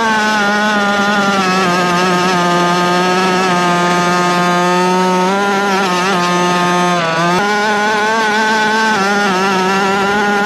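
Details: Rovan Baja 5B RC two-stroke, fresh fuel, needles reset to factory (1 1/4 and 1 1/2) after earlier no-start, rested an hour: steady even high buzz holding pitch with small wobbles as throttle moves; running cleanly.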